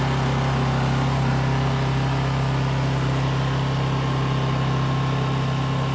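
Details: New Honda EU2200i inverter generator running during a fuel-shutoff test, recorded on a phone mic: smooth, constant hum at a fixed speed with no surging, misses or rattles; normal running.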